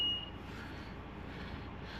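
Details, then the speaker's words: Scania truck during a pre-trip light check with the light test on: one sharp high reversing beep over a steady truck idle; the reversing alarm sounds normally. "The beeping you can hear is a reversing beep because I've got the light test on."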